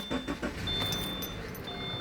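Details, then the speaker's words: Subaru boxer flat-four at 146,000 miles: a few clunks as it cranks and catches, then a steady, slightly busy idle with light top-end chatter, typical of a boxer engine; nothing wrong. "sounds like a Subaru get a little bit of noise it's got 146 000 miles on it realize one thing boxer engines are relatively noisy engines"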